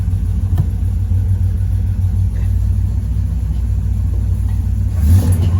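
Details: Chevrolet Monte Carlo V8, which runs well now while its wiring is being finished: a healthy idle, with a deep, steady, lumpy big-cam rumble and a quick rev blip near the end, running clean and even.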